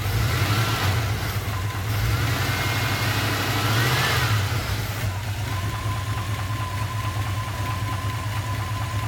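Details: 1991 Jeep Grand Wagoneer AMC 360 V8, water pump recently replaced, 20W50 oil: faint regular knock at idle after a brief rev, apparently at half engine speed, fading as revs rise.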